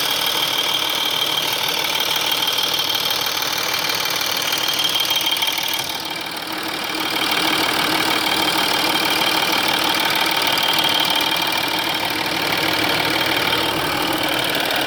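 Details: 2005 Audi A4 B7 3.0 TDI diesel (BKN) warm at idle: light metallic ticking about three a second over clatter, sometimes inaudible, from the engine rear near the chain tensioners; cause unconfirmed.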